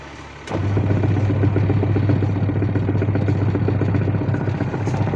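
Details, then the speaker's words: Semi-automatic washing machine after gearbox noise problem on the wash side was fixed, running in wash mode: starts and settles into an even low hum with soft agitator clatter, no grinding or knocking from the gearbox; normal. "इसका problem solve हो चुका है। इसका wash side का प्रॉब्लम था, तो wash time आपको बैठा के इसे थोड़ा टाइम चला के देखते हैं। गियर बॉक्स से साउंड नहीं आ रहा है।"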